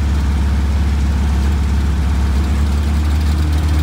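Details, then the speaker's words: 1962 Austin Healey Sprite Mark II, long-sitting, after priming the oil pump to cure no oil pressure: steady even low idle holding smoothly, no knocks or misses; oil pressure present, pumping oil to the valves. "and there you go we have oil pressure now i'll let it pump oil make sure that it gets up all the galleys gets to the top of the engine lubricates the valves"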